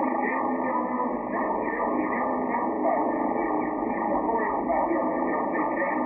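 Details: Flex-6400 transceiver on transmit: continuous raspy buzzy distortion in the audio; suspected RFI from the Icom 7300 USB data cable getting into the mic circuit, since unplugging that cable stopped it.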